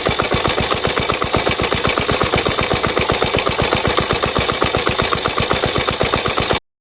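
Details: Suzuki Djebel 125/200 single-cylinder engine idling with a sharp, even tick about four times a second; owner suspects tappet noise (valve clearance), not confirmed.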